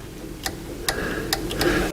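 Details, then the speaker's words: 2000 Pontiac Trans Am overheating; a relay test tool energises the cooling fan relay, giving four sharp clicks in two seconds, so the relay works, but powering the fans directly does nothing. "you can hear the relay clicking on and off"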